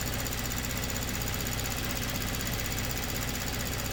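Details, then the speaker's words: Kia Stinger with low fuel pressure, engine idling after the pump control valve was plugged back in: fast, even light ticking over a smooth idle as the high-pressure pump now builds rail pressure; it was in full shut-off before. "now we've actually got some ra rail pressure and obviously we can hear that pump doing something now so that was in full shut off mode before"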